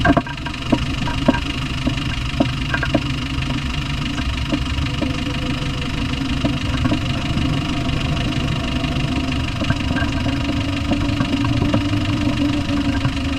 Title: 300tdi discovery 1 knocking noise (Any guess?)